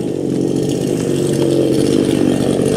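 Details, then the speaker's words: New ANBULL chainsaw with automatic oil pump, running after its very first starting procedure: steady, even buzzing drone with a slight climb in pitch, no misses or surging; normal running. "the saw is running it sounds good now that starting procedure that i did that's the very first one you will not have to go through that again"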